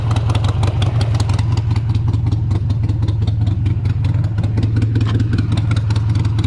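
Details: 2001 Harley-Davidson Sportster 883 Evo with CV carburetor, idle stop screw just reset during tuning for hesitation and stumbles: strong, even low thump, steady idle and clean throttle pickup with no stumble; healthy, slightly rich, near final tune.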